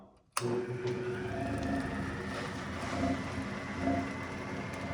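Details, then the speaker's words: Bennett Model 450 twin clock-face gas pump, built around 1932 and sitting over 40 years in a California barn, pump switched on: steady, even motor hum with a soft whir, no knocks or grinding; pump runs healthy. "Left pump on. She sounds healthy. It's amazing after all these years that this unit can actually run again."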